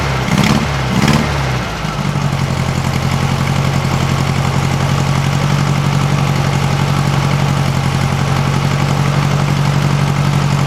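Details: 1956 VW Beetle flat-four on a Solex 34 PICT 3 carburetor, warming up after a cold start and hard to get idling: after a couple of blips it settles into a quiet, even, low putter with no puffing or ticking. It sounds healthy.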